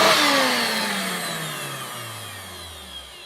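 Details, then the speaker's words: Hoover Turbomaster U5094 upright vacuum after refurbishment, on thin pile carpet: motor whine falls smoothly as it coasts down, no bearing grinding or rumble. Both motor bearings had been seized, fancase one spinning on the armature shaft; clean wind-down now. "I don't know if you heard that on the wind down, but listen to how smooth it is."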